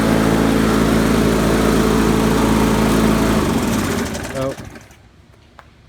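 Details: 1999 Weedeater HD4QE22SC mower, B&S Classic 4.5 HP, trash-picked, revived with replacement gas tank, pull cord, flywheel key, diaphragm and oil change; steady even putter for a few seconds, then winds down and stops cleanly; normal running.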